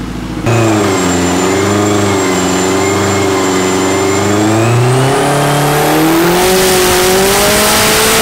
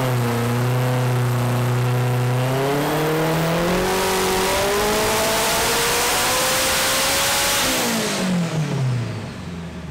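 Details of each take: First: Built K24-swapped AWD turbo Civic with forged bottom end, Garrett turbo and ECU Masters standalone, on a hub dyno making 568 on the first pull. The engine climbs cleanly without cutting in and out after the intermittent TPS sensor fault was addressed. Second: Turbo K24-swapped AWD Civic (forged bottom end, block guard, Garrett turbo, ECU Masters standalone) on hub dyno, pull back up to 675 under load: revs hard, then breaks up up top from rich misfire, too much fuel after fuel pressure change.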